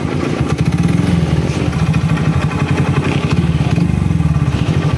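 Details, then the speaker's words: Honda XRM 125 with clutch conversion, kick-started, idling with a deep rapid even knock every firing pulse; piston and side knocking traced on teardown to a very loose connecting rod with excessive side clearance. "Ito yung kanyang tunog. Pakinggan natin. May k nacking na 'yung piston ayan at yung bandang panggilid niya ah meron na rin."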